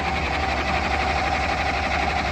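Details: Large military diesel generator after an adjustment: steady, even cranking churn for a couple of seconds that never catches. Still no start; the batteries are going dead.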